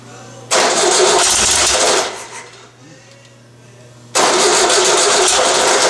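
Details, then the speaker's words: VW 1600 dual-port engine on a starting stand, cold: two long cranking bursts with an even starter spin but it never fires, because the carburetor float bowl has not yet filled with fuel. "no is it because nothing's coming out of there yet so we haven't got the bowlful"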